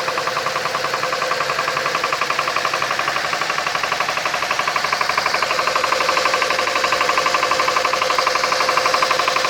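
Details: Toyota 1JZ-FSE engine: steady sharp metallic tapping at about four per second over a smooth idle; engine knock, source unclear.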